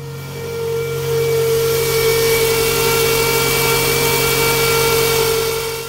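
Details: Toyota engine running, 12 volts battery voltage: steady high whine over an even engine hum with faint scraping rush; engine whine attributed to the alternator.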